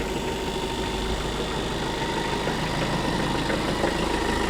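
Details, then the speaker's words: 574 tractor cold start after sitting a day or two in frigid weather, battery replaced with one of about 150 more cold cranking amps, no boost pack: settles into a steady, even idle chug with no stumbling; normal cold idle. "It's been sitting for a day or two in this frigid weather, so let's see if it starts up without a boost pack today. I'm hoping we solved the issue."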